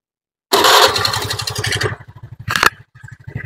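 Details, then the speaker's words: Honda Vario 110 carbureted scooter after carburetor service and resetting. The complaint had been an unstable idle, hesitation and high fuel use. It now settles into even single-cylinder putts at about 1200 rpm without hunting: normal, stable idle. "bisaengarkan untuk suara atau langsamnya ini di kurang lebih 1200 RPM nah kurang lebih seperti itu mas kemudian ketika dikecilkan untuk setelan langsamnya juga masih stabil"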